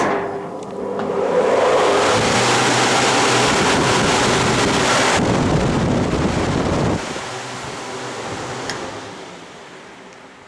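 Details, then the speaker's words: New, much larger replacement fan for a rolling-road chassis dyno, bought cheaply on eBay to cool the test car's radiator: a strong, even rush of air builds within a second, holds, then winds down smoothly; a healthy fan with huge airflow. "is a huge amount of airflow. It's quite surprising actually. It's really efficient."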